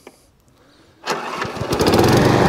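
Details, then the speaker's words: Hayter 41 Auto Drive variable-drive mower after new belts and front suspension fix, chain with a stiff link still to be sorted: brief crank, engine catches at once and runs steady and even; normal electric start. "at that electric start as well so electric starting out all worked all runs it drives"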